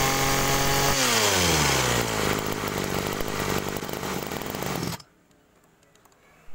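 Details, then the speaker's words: Agricultural sprayer two-stroke with a known-good spare carburetor: runs even and steady, then winds down smoothly and stops; no stumbling, normal carburetor reference. "Oke jadi itu tadi ya teman-teman itu adalah suara karbu yang normal"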